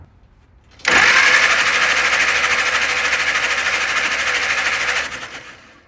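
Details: 1948 Willys CJ2A Jeep that sat for decades, cranked with spark plugs out after a loose ground was fixed: the starter spins the engine briskly and evenly, a smooth, steady whir for about four seconds with no dragging.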